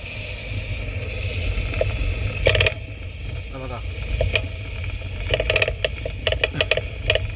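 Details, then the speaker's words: 2015 Mercedes-Benz E-Class W212 on a rough test road with a chassis noise detector fitted: sharp irregular clicks and rattles over road rumble on bumps, front driver side. The detector lights red, confirming a worn tension strut ball joint. "유득이 있을 때 빨간불이 지금 들어오면서 소리가나요 요거는 닭은 텐서 스트럿입니다요"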